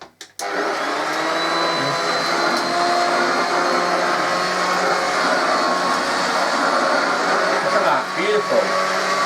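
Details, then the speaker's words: Rebuilt Hoover 119/1224 upright vacuum, about 70 years old, newly rewired with its cable, running on carpet: steady even motor hum, no rattle or scrape, lovely quiet motor cleaning nicely; healthy. "and what's wrong with that lovely empire lovely quiet motor cleans the carpet nicely what could be better lovely little machine"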